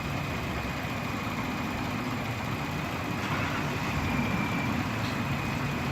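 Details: Slow-starting minivan idling during charging test after cleaning greasy battery connections, alternator judged good: steady even low idle, faint hum, no surges or misses.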